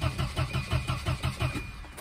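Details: Volvo 240 that died while driving, no fuel pump sound at key-on and no fuel: steady cranking, about six even compression pulses a second, never fires; cranks but won't start. Suspected wiring, fuse or pump power fault, not confirmed.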